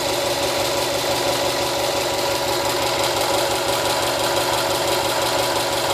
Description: Its a 2013 STI barnd new with only 1500 miles on the clock. This is my first Subaru and i know they tend to be a bit noisy im just woundering if this is noraml for this engine.